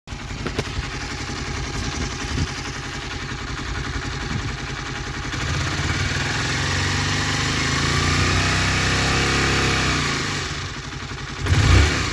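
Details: Honda CBR 125 R JC34 single idling cold: loose, irregular mechanical clatter over the low thump, then a rev and drop; noisy when cold, cause unclear.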